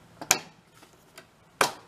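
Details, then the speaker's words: 1991 Craftsman GT garden tractor, found broken down, electric PTO engaged with seat safety probably working: two sharp crisp clicks in a quiet room; normal PTO clutch engagement click. "yeah so electric pto is working"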